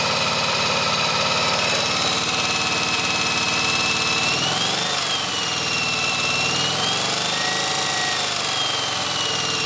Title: 1983 XV750K Virago idling to demonstrate rattling noise.